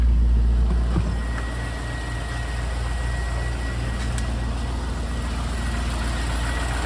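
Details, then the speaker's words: 2000 C5 Corvette 345 hp LS1 V8, 77,960 miles, automatic-transmission engine, oil pressure about 40 psi: smooth, steady low rumble with even beat, no knocks, ticks or leaks; normal idle. "this is the 345 horsepower ls1 engine it's currently made it up to an automatic transmission engine's in top shape with no knocks or ticks or leaks"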